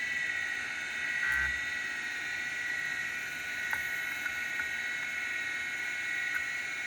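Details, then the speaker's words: Macintosh SE/30 hard drive at power-up after freeing a frozen actuator (seized bearing suspected): steady high whir with a faint dry scraping hiss, no knocking; the heads are rubbing on the platter. "I think I have the actuator freed up but I don't like how this thing sounds the head's rubbing on the"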